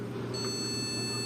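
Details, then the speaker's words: Gigabyte H510M motherboard left sitting after a power supply failure, cleaned: a single steady high beep over a low fan hum at power-on shows the board is running with no fault; the RAM condition is still to be checked. "Beep পাচ্ছেন? আমাদের মাদারবোর্ডটি running আছে। এখন বর্তমানে motherboard কোন সমস্যা নেই।"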